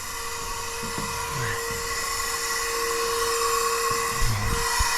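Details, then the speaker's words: 2012 Western Star log truck diesel at idle: steady high-pitched hiss over the even idle, compressed air leaking at the fan clutch, which is junk and being replaced. "What we can do is shut it off and turn the key back on, I think, and it should unlock. Maybe we can hear air pissing out of it."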